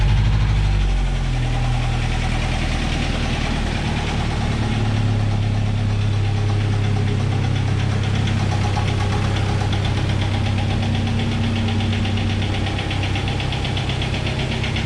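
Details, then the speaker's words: 1997 Jeep Wrangler TJ 2.5L at about 214,000 miles, timing chain already replaced, started after sitting a week: loud rough idle with a heavy internal knock about three to four times per second; engine knock leading to an engine rebuild. "Y'all remember that sound? Uh, it kind of went away. Well, it's come back and now I realize that it's a engine knock and I haven't ran JJ in uh a week."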